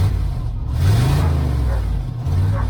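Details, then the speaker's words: 1994 GMC Stepside pickup V8, cold start, running a bit rough, earlier slight backfire blamed on the distributor: quick smooth rev with no pops or backfire; clean free revving. "running a little bit rubbish just a cold start but anyway rev It Up [Music] thank you it sounds good [Music] no it's not popping her backfire now"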